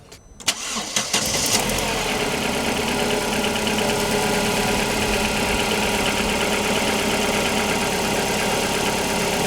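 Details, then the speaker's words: Opel Antara cold start before adding RVS G4 additive: it catches and settles into a fast idle with a busy ticking clatter on top. The engine is known to have extra noise; cause unknown. "Tää on aikalilla kylmä käynnistys. Mä en muuta ku tosiaan siirtänyt sen tästä tähän."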